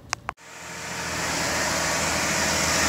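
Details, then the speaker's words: 2013 Jeep Grand Cherokee 3.6L V6 Pentastar after replacing a broken rocker arm (failed ball bearing): engine starts and settles into a smooth, even run with the tick gone; normal idle, healthy valvetrain. "and there we go we got it all put back together and as you can hear the ticking is gone"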